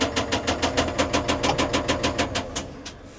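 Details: CAT 950M wheel loader diesel during a cylinder cutout test: heavy regular metallic knock about three per second that changes when cylinder 3 is cut, suspected rod knock; cylinder 5 is not firing.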